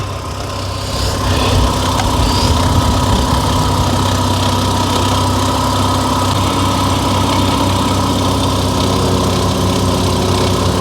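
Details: 1983 Mazda RX-7, back running after 2 years sitting: loud, steady low drone with a slightly uneven, wavering beat at idle. The engine sounds like it is struggling and not wanting to catch.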